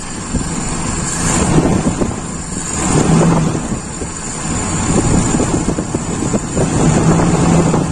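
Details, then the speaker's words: Toyota Kijang Super carbureted engine with rough idle: revs rise and fall slowly with an even beat, and it runs smoother when the intake is partly covered while revved. The idle mixture is suspected too lean; primary/idle jet ratio judged normal. "Nah, di sini aja enggak enak. Tapi kalau ini kita tutup sambil di apa digas pasti enak."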